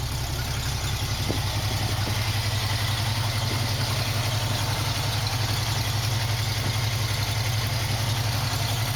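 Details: 1965 Mustang started with the choke now working: deep, steady, even idle with a regular beat of nearly three per second and no knocks or misses; the engine is running healthy.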